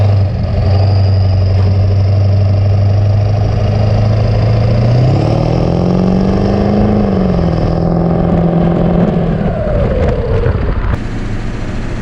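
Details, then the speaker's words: 7.3 Powerstroke diesel on semi wheels after plenum gasket repair and a PHP Hydra tuner: deep drone climbs smoothly under part throttle with no boost-leak hiss; boost system holding. "I don't hear the boost leak anymore either. No. Because you could hear it before."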